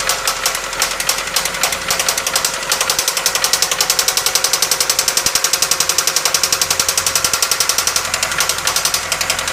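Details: 1997 Toyota Camry: sharp, even ticking knock about four per second over a rough idle. The knock developed while driving, the engine repeatedly cut out and blew white smoke, and a head gasket failure with coolant mixing is suspected; seizure possible.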